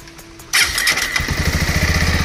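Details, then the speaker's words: Bajaj Avenger Street 160 after fixing self-start problem, bike had stood unused many days; owner suggests checking the starter motor and notes a battery issue too: quick crank, single catches at once into steady even thump, no misses or rattles; normal start and idle. "देख क्या ही प्यारी आवाज आ रही है सो यह problem 100% fix हो चुकी है"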